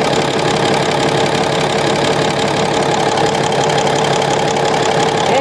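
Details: Komatsu SAA6D140E-5 diesel, first run after engine work including injector gasket replacement, valve cover off checking oil rises at cylinder 3 rockers: steady even idle about once a second with light open valve clatter; oil flowing, healthy.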